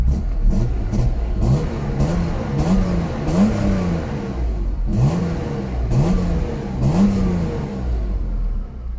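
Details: BMW E36 M3 S50B32 engine after fixing vacuum leaks, replacing pulleys, deleting secondary air and changing oil: push-button start fires promptly, then clean repeated revs dropping smoothly to a steady idle, running healthy.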